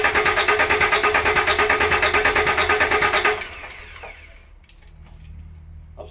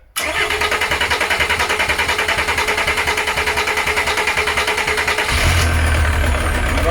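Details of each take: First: VW LT35 diesel van laid up four years, ignition on to open the pump stop solenoid while bleeding the fuel system: steady starter cranking about three beats a second for three seconds, stops without firing; cranks but no start. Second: VW LT35 camper van laid up four years, needs engine rebuild, Volvo alternator fitted, after priming fuel: several seconds of steady cranking, then catches into even, firmer diesel idle clatter; engine starting.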